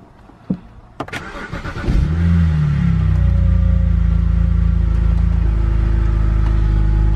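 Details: Engine started after adding fuel injector cleaner to the tank: brief crank, quick catch, then smooth, steady idle with no knocks or stumbles; normal start.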